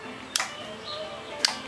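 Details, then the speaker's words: Fuel cut-off solenoid on a 1600cc dual-port engine being swapped into a sandrail, wired to the coil positive with ignition bypassed via a switch; two sharp clicks about a second apart as the solenoid opens to allow fuel; normal operation. "you can hear that fuel cut off solenoid open so that's what's making sure I get fuel"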